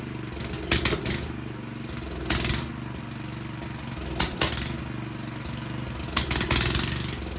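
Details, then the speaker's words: Yamaha Big Bear 350 ATV, sat with ethanol fuel; runs very rough with uneven stumbling idle and sharp backfire pops every second or two; smoke from 20:1 premix fuel, backfiring cause unknown. "all right so it does run it uh runs really crappy but it runs so the smoke is because I'm running 20 to1 fuel mix in it that's all I had around the house um I didn't have any straight gas so that explains the smoke but the backfiring and everything I don't know what's up with that"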